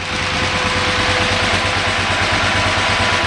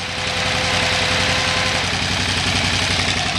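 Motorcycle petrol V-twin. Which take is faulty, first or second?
first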